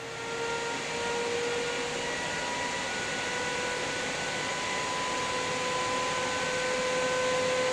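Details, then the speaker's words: Ninja Foodi OL701 lid on air fry at 390°F for 20 minutes: a constant, hairdryer-like high whooshing hiss with steady whistling tones, louder and different from the older models, with no rattle or scraping; the fan is normal, just loud. "It sounds to me like a hairdryer, and it's constant."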